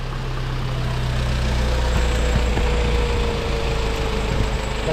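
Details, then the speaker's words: Cupra 2.0 TSI (CJX) engine rebuilt with forged internals, idling after a leak was traced to a misaligned tube. Even, steady low idle with a smooth rumble and no knocks or misses; runs clean, normal idle. "en tout cas elle tourne bien elle tourne propre"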